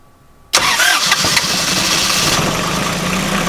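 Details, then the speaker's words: Northern Lights 12 kW marine generator after a cylinder head replacement, valve adjustment, coolant change and minimal injector bleed: catches within a second and settles into a steady, even run. It was slightly rough at first, as expected after bleeding. "so started up very nicely so doing the minimum amount on the injectors for bleeding was perfectly fine"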